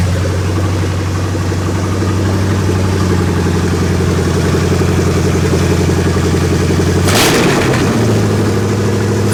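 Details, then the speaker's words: Ford Ranger with a swapped 5.0 V8, first start, clutch not yet installed: deep, steady V8 idle held noticeably fast with a brief flare; idling high even after a vacuum line was hooked up, and another vacuum leak is suspected. "we'll hook up this vacuum thing right here so it doesn't have a giant vacuum leak because it was idling really high"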